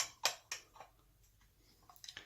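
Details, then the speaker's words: Rebuilt HD8 SU carburettor from a Jaguar E-Type 4.2, piston assembled dry with no lubricant: crisp metallic clunks as the piston rises and drops freely in its tube; normal carburettor piston drop. "The piston should rise and fall with an audible clunk, which you can hear."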